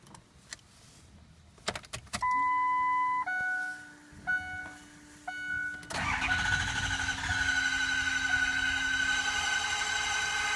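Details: 2004 Ford F350 6.0 diesel (late): the starter chimes, then cranks fast and even with no firing, and no code is set. The mechanical positive air shutoff was tripped by mistake, closing the spring-loaded butterfly at the CAC tube, so only raw fuel is injected. It needs a manual reset.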